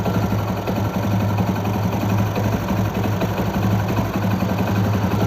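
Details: Motorcycle idling during electrical ignition timing check: steady, even single-cylinder putter with no misses or knocks; the F firing mark lines up exactly with the timing mark, so timing is correct and the engine runs smoothly.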